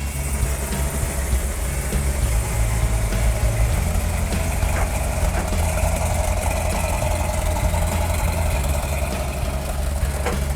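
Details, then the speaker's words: 1971 Plymouth Cuda 440-6, 4-speed, shaker hood, restored and running again after a 1981 crash. Deep, lumpy V8 idle with a steady rumble and even firing, no knocks or misses. Normal idle. "sounds good, don't it? Yeah, it does."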